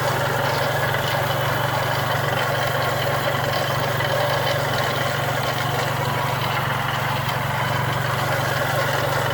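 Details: Chrysler PT Cruiser idling, recorded outside the car; constant loud gritty scrubbing with light rattle, taken for knocking; timing belt removed for teardown to find the cause.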